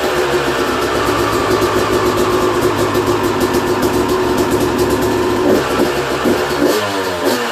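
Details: 2001 Yamaha YZ250 two-stroke, first start after a new top end, jets and service: crisp buzz idling steadily, then clean blips with quick rise and fall in pitch; engine sounds healthy and responsive.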